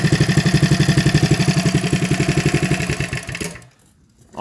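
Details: Coleman CT100U mini bike with a new carburetor, header pipe with silencer, gas tank, fuel lines and fuel filter, replacing a clogged muffler: it starts on one pull and runs with an even, regular putter for about three seconds.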